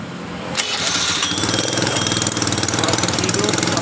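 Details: Honda Beat carbureted scooter whose electric starter worked only intermittently, after replacing the starter's armature and magnet parts: a short starter crank, then the engine catches and settles into a steady, fairly quick idle. It now starts cleanly on the button.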